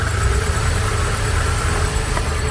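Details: Steady idle with a faint constant whirring hum that doesn't change; strange engine noise, typical of a worn water pump bearing.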